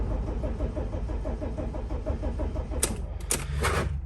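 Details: 2006 Dodge Sprinter diesel, crankshaft position sensor fault blamed, restart attempt after a 10-minute wait: even starter churn about four pulses a second for nearly three seconds, a few clicks, never catches. Crank no start.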